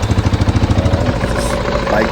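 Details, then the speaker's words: 2015 KTM 690 single-cylinder after replacing two clogged fuel filters to fix a lean mixture and power loss around 4000 rpm; valves were checked OK. Steady single-cylinder thump at idle with regular pulses and no misses. Normal idle. "still disassembled but it was running fine so next thing to do is of course to go out in the woods and have a nice test ride to see whether the power is there"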